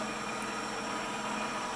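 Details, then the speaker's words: PM-728V-T mill spindle on high-speed pulleys, running at about 2,500–2,600 rpm: smooth, even hum with a faint whir and no knocks or grinding. Quiet. "it's pretty quiet in the vibration I put my handle on it I don't feel much it's well balanced"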